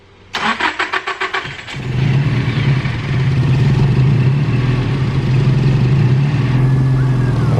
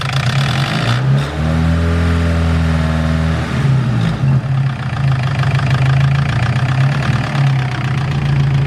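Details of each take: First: Nissan S15 SR20 VCT engine after VCT sprocket replacement, previously quiet cold and noisy once warm: brief crank then steady even idle, still no ticking or rattle after about five minutes warm; fixed. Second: Nissan S15 SR20 with VCT, warm idle and a quick rev before the VCT cam sprocket was replaced: a light, fast clattering rattle over the engine note, very loud in person. Worn VCT sprocket rattle.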